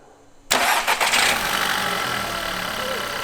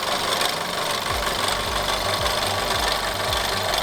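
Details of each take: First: VW Golf 6 with the 1.4 TSI petrol engine, which had an unpleasant strange noise at start-up, after repair: cranks briefly and catches cleanly, then settles into a steady even idle with no rattle. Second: Golf 6 1.4 TSI at start-up: rapid low knocking, about 160 a minute, over a rough idle, a very unpleasant start-up noise that does not go away; engine knock at idle, source unclear.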